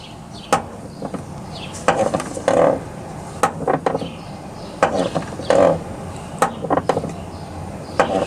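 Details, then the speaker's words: Toyota Highlander, driver's side front door: sharp irregular clicks and clunks each time the door swings open and shut, from a very loose worn door check (catch), to be replaced with a Toyota dealer part after removing the door panel. "when i bought this car i realized that the door catch makes a noise when i open and close listen"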